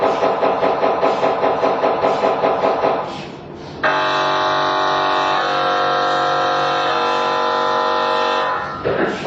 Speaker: E o que você escuta basicamente é o impacto dessas bobinas de gradiente. Então ela é normal, isso é 100% normal. Elas batem mesmo.